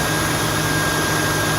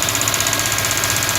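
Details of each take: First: 2002 Mustang GT after replacing radiator cooling fan assembly that had a broken blade: steady, even rushing air with no rattle, slap or scrape; fan spins smoothly, earlier loud noise gone. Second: 2002 Ford Mustang GT running with a fast, even ticking knock, almost like lifter tick, steady in speed; radiator fan with a cracked blade wiggling and hitting, noise stops when the fan connector is unplugged.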